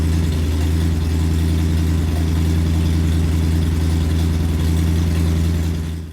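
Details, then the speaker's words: Porsche 928 V8 at idle after a straight-through silencer with an X-pipe was welded onto the homemade stainless exhaust: still a loud, deep, steady burble, down only from 91 to about 87 dB. "It was up at 91. I wasn't expecting a massive drop because the silencer is about that long and it's straight through, just got the X pipe in the middle of it."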